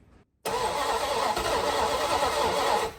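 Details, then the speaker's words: 1970 Dodge Dart Swinger 360 V8, long dead and previously seized with rainwater, worn rings; catches after a pause and runs ragged with loud breathy rush, no steady beat, carburetor suspected clogged; rough running with heavy blow-by. "Okay, well that is a running engine and it is quite apparent at this point that this carburetor is not happy at all."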